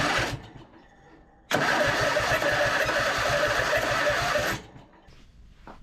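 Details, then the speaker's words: Husqvarna RZ5424 zero-turn mower that would not turn over with the key, cranking after a safety switch was found: harsh, gritty whirring crank for about three seconds with fast even compression pulses; starter sounds rough and noisy. "brakes back on that starter sounds terrible though"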